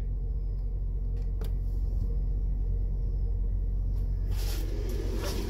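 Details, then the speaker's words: Newly installed Dometic 15k Penguin RV A/C, replacement after compressor drew over 23 A tripping the breaker, on old CCC thermostat zone 3, shroud off, fan-only on high: steady low rumble with even airflow hum, no rattles or scraping; blower runs smoothly. "Okay, so that's running. I can hear that running, that's good. Let me try it on low, make sure I get its speed change."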